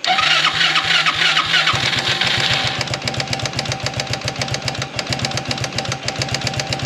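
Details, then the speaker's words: Project buggy engine, cold and unused for two weeks: catches and settles into loose uneven popping about three to four beats a second. Runs rough cold, improves as it warms; cause not identified. "ne aber das hier hat er auch letztes Mal immer gemacht ne der ist im kalten Zustand fingt extrem schlecht an wenn er warmer wird dann wird's besser"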